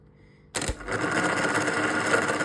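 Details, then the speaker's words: Starter motor removed from a Corsa B C20XE project car, run on the bench: it whirs up with a harsh, dry, raspy rattle from a dry, unlubricated bearing; to be replaced with a new one. "Listen to that. Oh, that sounds awfully dry and bearingly dry in there. Let's go and get a brand new one."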